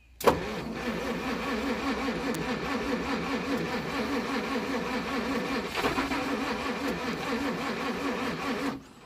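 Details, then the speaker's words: 1937 Pontiac Silver Streak barn find, long sitting, after the points were cleaned and a wire was reseated in the distributor cap: steady cranking at about four turns a second for eight seconds with no firing. Weak spark, likely from inconsistent points. "I think those points are shitty yeah they're not consistent so I'll check the spark again hang on"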